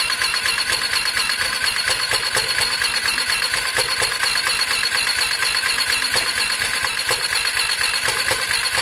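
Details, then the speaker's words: Lexmoto Diablo 125cc moped bought for parts: fast light even cranking whirr that never catches, spinning freely, "close to firing up"; oil found; no start from low compression due to loose cylinder head bolts. "it doesn't sound the healthiest guys but it sounds close to firing up"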